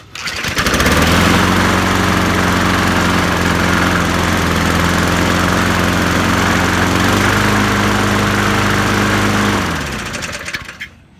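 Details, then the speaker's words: 1999 Weedeater mower, B&S Classic 4.5 HP, revived with new tank, diaphragm and pull cord and a combined carburetor: steady low droning pulse, then shuts down; vibration, owner suspects blade out of balance. "sounds like the blades out of balance I'll check that next"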